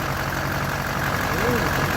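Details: Duramax diesel, first start after rebuild with fuel system primed: even, steady diesel clatter with a smooth low rumble and no misses or knocks; a healthy idle.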